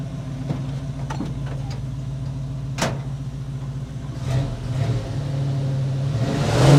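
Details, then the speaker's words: 1963 Chevy pickup V8 after new carburetor, radiator, hoses and water pump: fast, steady low rumble climbing further near the end; carburetor running a little high idle, cause not yet known; one belt still loose and squeaking. "we're having an issue with the carburator running a little high idle I I'm not sure exactly what's wrong with that yet"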